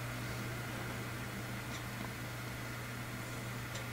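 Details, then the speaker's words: Fans in a modded Corsair Carbide 200R PC case with fan controller installed, some fans turned down: low steady hum with a soft airy hiss, no rattle or whine; quiet, normal fan operation. "But it's quite quiet, the system. Not too bad."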